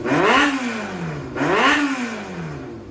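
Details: Yamaha XJR400 (4HM, early model) running engine assembly, compression tested, no abnormal noise or white smoke; two clean revs climb and fall back smoothly, no knocks, rattles or misses; healthy engine pulling freely.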